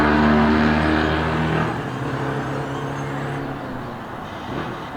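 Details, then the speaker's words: 2002 Yamaha YZF-R6 four-cylinder that sat 6 years after an earlier carb cleaning: uneven, lumpy, loping note of about four beats per second, settling lower, as if missing. Owner suspects one cylinder is dead from a fouled plug or gummed carburetor. "I feel like it's only running on like 3 cylinders. Could be a foul plug, or it could be carburetor's gum."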